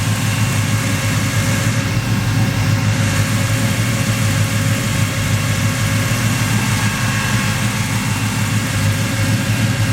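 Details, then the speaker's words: Chevy S10 idling after repairing hacked wiring, new distributor, plug wires, electric fans, tachometer, gauges and MSD 6AL box; steady even low rumble, smooth beat, no knocks or misses, tach working, idling cleanly. "Sounds happy. The tack works. All my used parts work."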